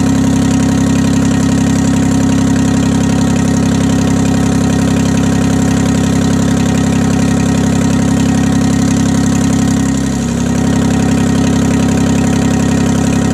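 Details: 1968 Detroit (GM) 3-53T two-stroke turbo diesel, first cold start after total overhaul, engine 4.5°C/40°F, outside -3°C; even steady idle with smooth low drone, no knocks or misses, stone cold, good oil pressure, no leaks; normal idle.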